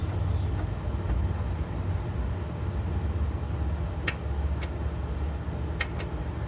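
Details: 2014 Honda Accord 2.4 i-VTEC, original starter suspected, 127,000 miles: single sharp clicks, about four over three seconds, over steady background rumble with no cranking; failing starter, replacement.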